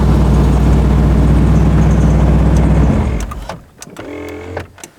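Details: 1988 Ford F350 460 V8 with MSD Atomic EFI rumbles then abruptly dies, handheld going dead; owner suspects wiring, jiggling wires usually restores injector ticking.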